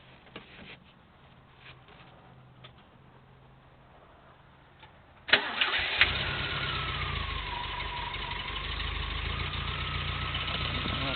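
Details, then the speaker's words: 1980 Triumph TR7 fuel-injected overhead-cam engine with solid lifters, rebuilt 2015, about 20,000 miles since, restarted after an hour off; catches quickly, steady idle, faint even top-end tick, no smoke; normal idle with light valve tick. "no smoke back here. Just a tiny bit of lifter noise, but it's a solid lifter engine, overhead camshaft, so they're never dead quiet."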